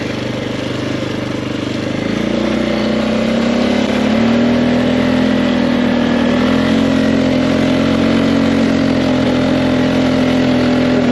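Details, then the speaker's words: 2005 Polaris Sportsman 400 4x4 ATV under full throttle: choppy drone breaking up about four times a second, as if bouncing off the rev limiter, and slow to gain speed, though it picks up with gradual throttle; cause suspected, not confirmed. "so obviously something wrong you hear that breaking up pretty good all right so as you can see I was going Full Throttle all the way down and so almost like it's bouncing off the rev limiter"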